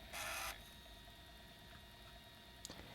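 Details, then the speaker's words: PS1 after repair (laser resistance reduced from about 616–626 to 496): brief whirring seek then quiet steady spin hum, disc reading normally, previous weak-laser clicking gone. "it's going around the disc and getting into certain spots and then it's loading it into the ram and we're just getting a perfect video here so looks good"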